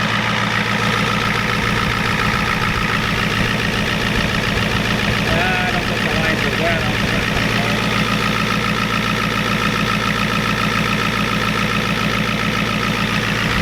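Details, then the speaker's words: 1993 Ford F-250 7.3 IDI diesel, injection pump turned up, air purged, warm: steady, even clatter at idle with a regular beat, no misses or stumbles; running nicely and healthy. "Running nice now, guys."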